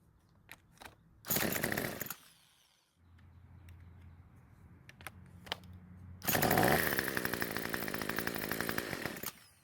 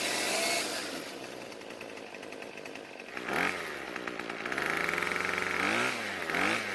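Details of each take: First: Craftsman trimmer on fresh fuel, driven by an electric starter. The small engine catches and buzzes only while the starter keeps spinning it and will not keep running alone. Air leak from loose bolts. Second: Craftsman two-stroke string trimmer after richening idle fuel (L screw a quarter turn counterclockwise); the high-speed H screw needed no adjustment: high buzzy note revving up and settling back cleanly several times. It picks up and idles fine.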